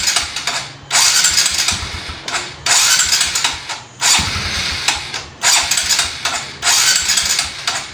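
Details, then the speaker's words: Push-button start on a motorcycle with a spark plug gapped too narrow: five short bursts of starter cranking with pauses, never catching or firing; it won't start because of the narrow plug gap. "ang nilagay kong spark plug dito yung malapit yung gap kaya ayaw mag-start kaya ayaw mag-one click"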